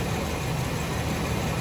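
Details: 1999 Chevy Suburban V8 idles with an uneven, lumpy beat as cylinder 5 skips; spark on number five tests good, and the misfire is traced to low compression.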